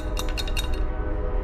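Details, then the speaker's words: Fuel filter from a project Fox body Mustang that would not start (fuel pump ran but didn't seem to prime), shaken after removal: a few quick glassy clinks, something broken loose inside the filter; owner suspects this caused the no-start. "i think it's broken loose on the inside yeah so maybe that's the problem"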